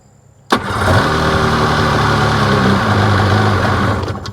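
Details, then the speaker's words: 2005 Sea-Doo 3D, 787 RFI engine that had sunk, on garage water: fires and idles unevenly about three seconds then dies; MAP sensor pressure drops to 3 unprompted, sensor swap tried, cause still a mystery. "Watch. Stalls out. What in the heck is causing that to drop down to 3 without doing anything?"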